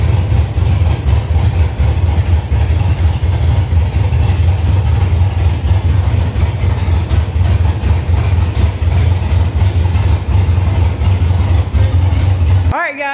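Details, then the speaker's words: 1965 Chevy C50 truck with 12-valve Cummins swap, manual 5-speed, running untuned: firm, even low-pitched idle with steady pulse, no ticks or knocks; healthy engine that only needs fine tuning. "But like I said, we got to hear it run, and it sounds really good for no tune at the time,"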